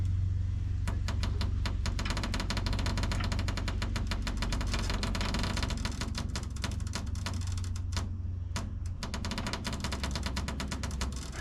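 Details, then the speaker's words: Bent frame of a 1970 Chevy Chevelle (GM A-body) being jacked straight under load, after earlier bolts broke; sharp, dry creaks and snaps about four a second over a low hum, source unidentified. "I think that's the Yeah, I don't know what that is. Something's creaking."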